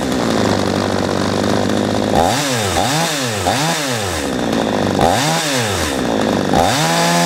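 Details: A P1PE P6220C chainsaw, after its low-speed mixture screw was turned about 3/8 turn anticlockwise to cure hesitation, idles steadily and takes five quick throttle blips that rise cleanly and settle smoothly; normal throttle response.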